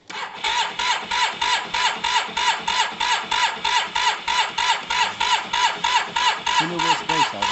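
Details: Yamaha TMAX scooter, bought very cheap and not running; spark judged good and fresh high-octane fuel added, but the fuel pump was not heard priming: rapid regular starter whirring about three beats a second, no firing; crank no-start, suspected fuel not reaching the carbs.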